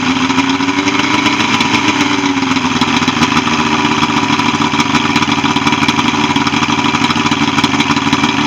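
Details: Evinrude 75 HP outboard on a Voyager pontoon, after no-start repair and routine service: steady, even drone with no knocks, misses or surging across the whole run; normal running.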